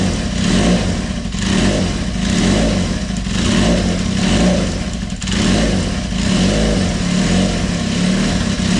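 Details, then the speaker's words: Kawasaki KZ400 started on choke a week after head gasket leak repair: steady firing rising and falling smoothly with throttle blips, no misses or tapping; healthy start and run. "And we're going to turn it on. Give it a bit of choke. And away we go. Everything should be all cleaned up and ready to go."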